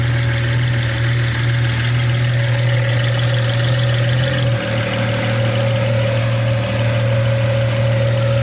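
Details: BMW E89 Z4 with the N54 engine, after a cheap manual intake-valve cleaning (no walnut blasting), warming up to operating temp with a straight-piped turbo-back exhaust: steady, even idle with the light, quick high-pressure fuel pump tick on top. Owner thought it still misfired slightly. Normal idle.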